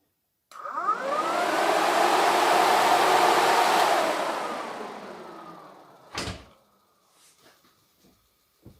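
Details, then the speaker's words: Jeep Cherokee XJ after fitting an all-aluminum radiator, electric fans run on override before engine start: fans spin up to a smooth, even whoosh, hold steady, then wind down without rattles or scraping; working normally. "so let's see if the fans still work I got everything basically connected up we'll just see if the electric fans work on the override"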